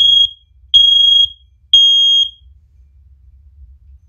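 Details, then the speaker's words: First Alert OneLink hardwired smoke alarms, test pressed on one unit: three loud half-second high-pitched beeps about once a second, then quiet, as all the linked units sound together; very loud, normal. "yeah now as you can tell that was very very painful like well i mean not really painful for me because i had my uh i had my hearing protection on thankfully"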